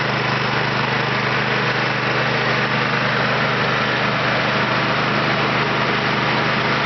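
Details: Kentavr 7807 petrol snowblower, single-cylinder engine, after carburetor cleaning for a no-start; started with choke on and throttle at max (hare): steady, even chug with no stumbles or surging, engine running cleanly.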